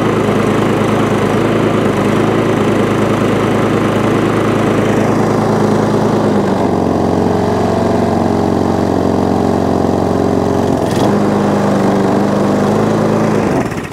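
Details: Old MTD push mower with rear roller and a Tecumseh engine, running after foam filters had starved it of air. Even, steady drone dips briefly and recovers smoothly, with no sputter or hunting, so it runs normally.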